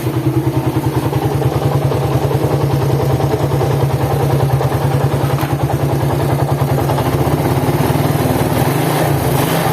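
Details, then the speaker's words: Suzuki Satria FU, engine cold, idling with a coarse, uneven clatter pulsing about three times a second under the exhaust beat, said to get worse when hot; teardown confirmed badly worn crankshaft bearings with play, plus a worn transmission bearing. "masuk lagi satriaavu dari Jawa Tengah Rembang dengan keluaran mesin kasar ya kasarnya ini seperti di bearing kruk as sama rumah kopling"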